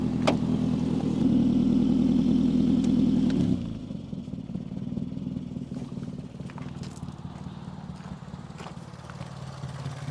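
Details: Peugeot 405 1.9 L GRX4 before carburettor adjustment: engine runs loud and lumpy, then note drops and wavers unevenly; carburettor mixture and idle out of adjustment, to be set with a Gunson Colortune.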